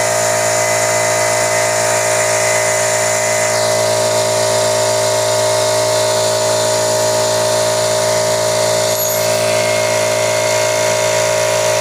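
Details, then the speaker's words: 2 hp, about 25 L air compressor that would not build pressure, after replacing the reed/flapper valve and one-way valve: a steady pump drone with a constant high hiss and no knocking or stalling. It now builds pressure and shuts off automatically. Normal running, fixed. "kita niyo Ayos na di ba nag-build up na siya Tapos humihinto na ng automatic so Naayos na siya"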